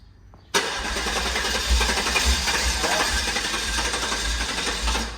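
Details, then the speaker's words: Guanci SSJ mid-engine V8 prototype at its first start after over 25 years in storage: steady cranking with brief catches and exhaust pops, but it won't run. About 20-year-old varnished gas is suspected. "Ooh, it wants to. Some raptors coming out the exhaust, yeah. Oh, okay. Oh, it wants to. Man, it really wants to. It's probably just a 20-year-old gas."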